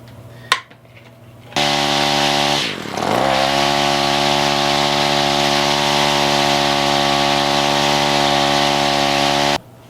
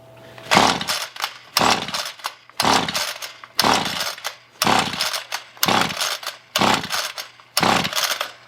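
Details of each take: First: Free roadside Ryobi weedeater two-stroke, throttle adjusted to next position: after a brief dip holds a clean, steady high buzz without surging; runs and idles fine. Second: Roadside Ryobi two-stroke string trimmer after carburetor cleaning, choke on: about one recoil pull per second, eight rasping pulls without a single pop; won't fire, plug removed for spark test.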